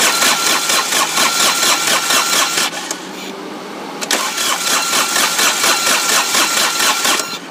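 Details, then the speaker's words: Diesel engine on a Dixie Chopper mower that ran out of fuel, cranked with the injector lines loosened to bleed air: steady starter churn, engine never firing. "So what I'm going to go ahead and do is crank it, and like I said, you want to see fuel coming out of those injectors pretty solid."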